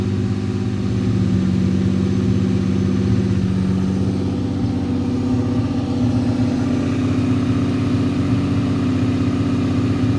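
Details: Annabelle at idle after warming up: idle hum randomly hunts up and down in pitch with no set timing; fine for a long time, started around December, sometimes halfway to work before it begins. Surging idle, cause not yet confirmed.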